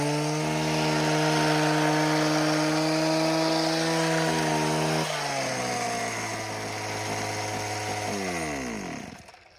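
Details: Homelite HT17 hedge trimmer after replacing missing fuel lines and adjusting the idle: steady high buzz at even pitch, then a clean wind-down; runs good, only the blades need sharpening.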